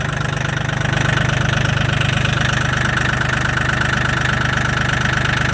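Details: Mahindra 1635 HST cab tractor with 35 hours, cold start at -22°C (wind chill -27°C) after about 1.5 hours plugged in; steady diesel clatter at a firm even idle, started right up, normal cold idle.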